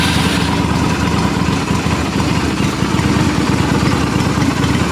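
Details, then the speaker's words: Restored Yamaha XV250 Virago V-twin up for sale, started cold on the electric starter with pipes not yet warmed: steady, lumpy idle at about three beats a second with no knocks or misses; normal cold idle. "these pipes are cold because they haven't been warmed up"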